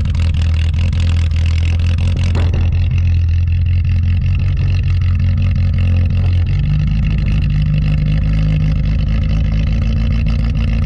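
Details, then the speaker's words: 1983 Toyota Tercel wagon (rescue car), usually a little stubborn, cold start at about -6°F wind chill in Pennsylvania after sitting a couple of weeks: catches quickly and settles into a low, even, tractor-like idle that steps up slightly; normal cold start and idle. "actually I'm really impressed with all of them because the rescue turcell is always kind of a little stubborn anyway so the fact that it started that good actually makes me pretty happy sounds like a little tractor it's pretty funny"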